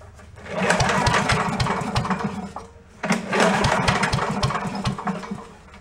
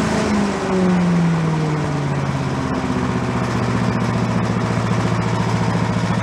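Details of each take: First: Commercial walk-behind leaf blower bought not running, with known carburetor problems: fuel sprayed in gives two short bursts of ragged popping before it dies. Fires only on sprayed fuel, before the carburetor is cleaned ultrasonically. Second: Yard-sale commercial walk-behind leaf blower, small two-stroke, bought not running with suspected carburetor problems, now run on the ground to check smoke: settles from a rev into a steady, even buzz with regular pulse, no misses; normal running.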